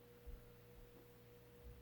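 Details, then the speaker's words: Mid-1980s Sears Turn of the Century 5-blade variable-speed ceiling fan (Lasko-made, Sanyo cast aluminium motor, model 435.115500), new transistor and potentiometer, running forward on low: quiet steady hum, no rubbing or ticking; decent low, maybe slightly fast. "so that's the low speed it's actually a pretty decent low it's a okay restaurant low maybe a little fast for some people"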